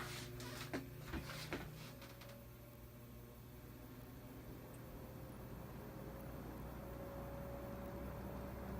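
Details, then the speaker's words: Vintage GE box fan, motor just oiled and cleaned, running on low blowing toward the viewer; a few handling clicks then a soft even low hum, no rattle or ticking; normal quiet running on low speed. "Nice. Very quiet. That's how we found it when we first got it. Just dirty as all heck, but quiet."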